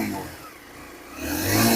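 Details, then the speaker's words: Bajaj Pulsar 150 second-hand motorcycle, kick-started, said to be in A1 condition: clean single-cylinder note drops off then climbs smoothly as throttle opens, no knocks or rattles; healthy engine rev. "কন্ডিশনটা দেখুন, ইঞ্জিনের সাউন্ডটা শুনুন।"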